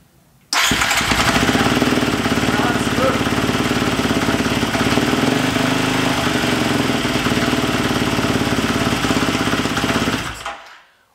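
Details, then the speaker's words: Husqvarna FE350 built into an FE 366 single-cylinder, first run in the garage after a full rebuild, with the idle raised slightly. A crisp, steady, even fast beat with no misses, knocks or rattles. A normal idle. "but yeah, she runs and that's the most important. Everything is fine."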